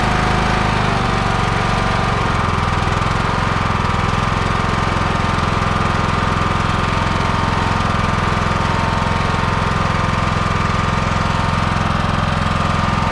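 Small single chugs along at a steady rapid thump, about three and a half beats a second, holding speed after the carb work.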